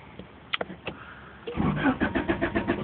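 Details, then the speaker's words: 1991 Honda Accord with replacement used engine, stalls suddenly while driving or after parking: few clicks, then starter spins engine at about six turns a second but it never fires; new alternator, owner suspects distributor or low battery. "see I'm turning the key pressing the gas doesn't turn on I don't know what's wrong with my car"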